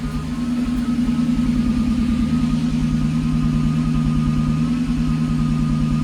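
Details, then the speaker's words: 1997 Lexus SC400 V8 idling, heard at the exhaust: low burble that now and then drops into a deeper uneven thump, a misfire that shakes the engine and randomly bugs out at stoplights; traction control light blinks on start; code 7 read. "You could kind of hear it, the misfire. Bugs. You can hear it from the exhaust too."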